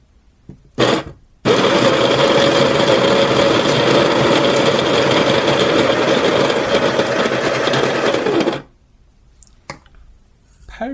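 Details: Baratza Encore electric coffee grinder grinding a 10 g dose: steady, even buzzing grind for about seven seconds at constant pitch, then stops cleanly with no labouring or rattle; grinder sounds healthy.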